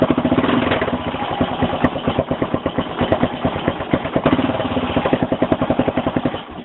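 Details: 2001 XT600E motorcycle at 27,455 km; low, even single-cylinder thumping at about eight beats per second with a light metallic edge on each beat; the owner suspects a ping at low rpm and is unsure whether something is wrong.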